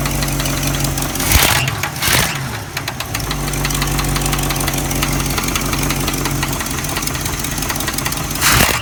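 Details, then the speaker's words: Oldsmobile 455 V8 idling: steady low rumble with a light repeating tick/knock, seeming to come from the top back side of the engine; lifter suspected. "Sound like coming from the top, back side of the motor around this area. It's super powerful."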